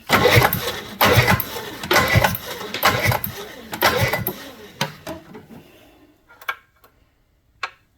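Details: 1976 Johnson 440JX two-stroke snowmobile, long-sitting junkyard machine, both cylinders confirmed sparking: six slow pull-start pulls about once a second with no firing, then it coasts to a stop; spark present but no fuel, so no start.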